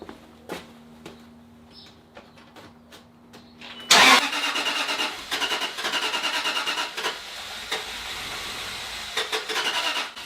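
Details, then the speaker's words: 2008 Land Rover LR3 right after fuel injector replacement: quiet hum, then the starter cranks steadily for about six seconds without catching; crank, no start from air in the fuel lines, to be purged by cycling the key on and off. "Okay, that's exactly what I'm saying. It's trying to start, but there's air in the system."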